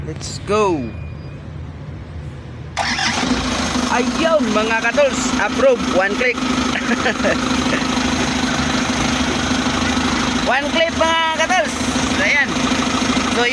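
Starter spins briefly, then the engine catches and settles into a steady idle with no grinding; starts and runs normally.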